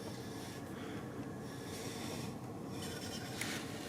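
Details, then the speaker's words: BMW R1200 GS Adventure LC wheel turned slowly by hand after the bike was dropped. A soft rub comes and goes at the drop spot, where the rotor moves toward the caliper carrier. The owner suspects a warped rotor and plans to replace it. Brake disc rubbing. "And you can see it moving out away from the carrier. Rubbing."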